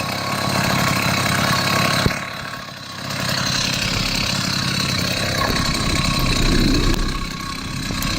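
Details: Chinese 80cc two-stroke motorized bicycle engine, still cold; carb still needs tuning: buzzy note sags and stumbles about two seconds in, then picks back up. Engine bogging.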